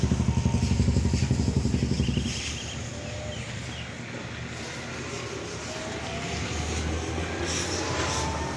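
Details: Godrej semi-automatic washing machine spin side after drum removed and cleaned, slipping pulley found, motor and capacitor checked OK: brief steady pulsing thump, then smooth even hum with no scraping or knocking; spin running normally.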